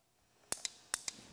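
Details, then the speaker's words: 2007 Honda TRX400X ATV no-start diagnosis; brand-new starter solenoid bench-tested, three crisp pairs of sharp clicks about half a second apart as contacts close and release; healthy solenoid, so a non-cranking machine points to a damaged starter motor. "escucharon al solenoide hacer clic pero no respondió y el clic para cual van a estar pendientes suena así"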